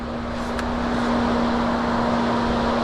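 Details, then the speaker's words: 2004 Chrysler Crossfire, 62,000 miles, no crank no start, key on with all warning lights lit: steady low hum of cooling fan running constantly, engine silent; a blown PCM fuse was first suspected, fault traced to a faulty restraint module relay. "The fan's going. I wonder if like the PCM fuse or something blew."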